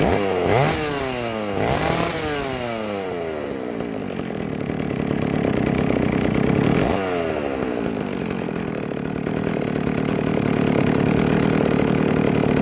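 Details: Vintage Jonsereds 70E two-stroke chainsaw, first run after major cleaning and fitting an unknown cooling fan; smoking from oil put down the cylinder; three blips up and down, then a steady high whine, picking up cleanly and running evenly. Normal running.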